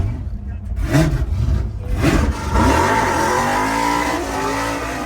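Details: Engine tune check, listening for a too-rich bog and watching temperature: deep engine blips and climbs through several revs with clean pickup and no stumbling, a healthy tune pulling freely.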